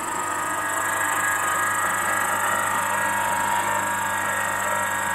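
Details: Pool filter circulation pump after disassembly and repair of loud crackling and humming: steady, even motor hum with a smooth whir and no crackle or rattle, running like a healthy pump.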